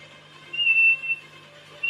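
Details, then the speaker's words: Pioneer Premier speaker during recoil rebuild: high thin squeal in short bursts over a low steady hum as the metal rubs against the wooden jig; very annoying noise from metal rubbing on wood. "and that's just basically the metal rubbing on the onto the wood that's making the noise very very very annoying"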